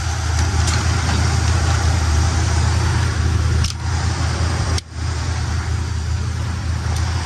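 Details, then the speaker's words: 1972 Buick Skylark left running to warm up after the carb was primed with gas: deep, smooth, even idle with a steady low rumble and no knocks or misses; healthy. "I'm gonna let this thing warm up for about 10 minutes. I'm gonna just let it run."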